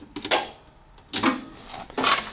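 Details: John Deere 318: crisp sharp clicks with the key on from the newly installed front electric PTO clutch, replacing a cooked one that caused no-crank starting trouble; quiet background, new PTO clutch engaging as it should.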